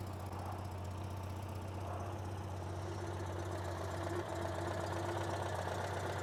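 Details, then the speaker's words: 1976 Citroen 2CV6 Club, carbureted 29 hp two-cylinder boxer with a just-rebuilt carb: even, steady low putter at idle, no misses or knocks, smooth relaxed running; it just purrs, healthy. "This thing, I'll start it up here in a second. It just purrs."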